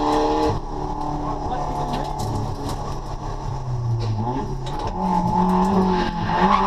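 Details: Drift car, about 200 hp, after new fuel pump and dyno retune making 140 kW: engine pulls cleanly and evenly through the revs while drifting with tyre squeal; healthy under load.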